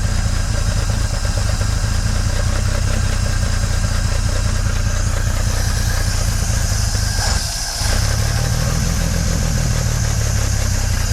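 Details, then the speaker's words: 1950s Dodge Meadowbrook six-volt car, engine still cold with strong fuel smell: deep loud idle that lopes and stumbles with a brief dip and much shaking; rough idle, cause unclear. "Doesn't sound too happy though, does it?"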